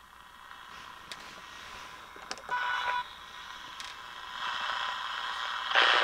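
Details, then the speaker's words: Early-1950s Viking 53-38ARR tube table radio under restoration, powered on after capacitor work: audio has a raspy rattling edge on louder bursts; buzzy speaker, not the set's circuitry. "Yeah, that is a buzzy speaker."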